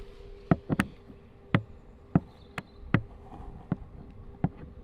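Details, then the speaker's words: Wrecked Rolls-Royce Wraith Mansory, battery lock on low voltage, magnet placed over the battery lock relay to trick it: sharp irregular clicks, about a dozen in five seconds, relay chattering without powering electronics; owner suspects insufficient power. "you can hear the relay clicking relay just clicks over then this has to work that's so dumb I don't even understand how that works"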